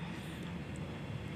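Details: Sharp single-door fridge that would not cool, after clearing a refrigerant blockage and recharging slowly to 10 psi: a quiet, even low compressor hum with no knocking or hissing. The condenser is evenly warm and the evaporator is at -5.7 °C, so refrigerant circulates normally.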